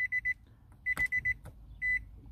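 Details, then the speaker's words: 2013 Nissan Altima 2.5 with keyless push-button start, brake pressed: only quick high beep clusters and a long tone, dash lights on but no starter or engine sound; no-crank with warning chime, cause not determined. "no hace nada solo se prenden ahí las luces del tablero pero no enciende"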